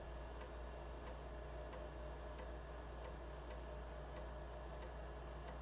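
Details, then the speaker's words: BBC Micro floppy drive after its heads were cleaned: quiet, crisp head-stepping clicks about every half second over a soft motor hum. It is seeking and reading cleanly, much better than before, with a slight hesitation. "So I can't really put that back on at the moment. So let's see. probably hear it clicking away. Yeah, that's much better."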